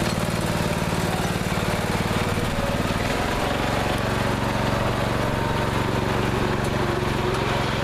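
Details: Neglected riding mower after repair, fresh gas, fuel shutoff, filter and hose clamps redone, started on jumper pack due to weak battery: small single-cylinder thumping at steady, even beat with slight speed change partway; now runs perfectly.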